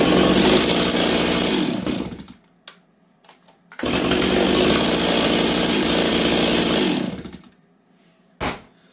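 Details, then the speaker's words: Rebuilt Stihl 026 chainsaw: runs a couple of seconds, dies, refires briefly and fades, won't hold idle. Owner suspects the jet settings or a bad carb with debris behind the Welch plugs, also an air leak; considering removing timing advance. "okay friends so the way the saw is is it runs okay it starts for now we'll see how it starts tomorrow I'll try it again tomorrow but it's not it's not ideal friends"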